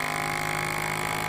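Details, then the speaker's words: FoodSaver V2490 that vacuums but never finishes; pump tested directly into canister, bypassing the rest of the system; steady hum with whine growing louder and higher-pitched as vacuum builds, pump itself works normally. "now I was never getting to this stage where the pump is getting louder and louder and higher and higher pitched"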